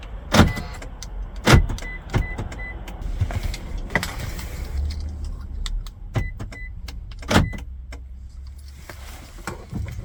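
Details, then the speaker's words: 2011-2016 Scion tC after programming an added aftermarket key fob: several sharp lock clunks with short chirps after each fob press; keyless entry responds every time and works properly. "Here, we can see it's working, and it's all good to go."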